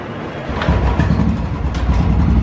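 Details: Royal Enfield Bullet BS4 EFI with starting problem after running, after checking spark, widening spark plug gap and refitting fuel pipe: catches after half a second and settles into a steady deep low thumping run; starts and runs normally.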